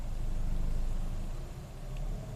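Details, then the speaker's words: 2006 Nissan Xterra, 209k miles, during idle relearn after harness repair: low even idle sags noticeably around halfway, then climbs back and settles as the idle relearn test completes. "Alright, let's see if it learns the idle. It is coming down."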